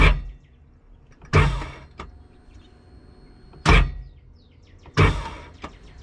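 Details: 2008 Sea-Doo GTI 4-TEC jet ski, unused for two years, gives only a short heavy clunk per start press with no cranking; starter, solenoid and battery tested good, leaking spark plug tubes were the cause.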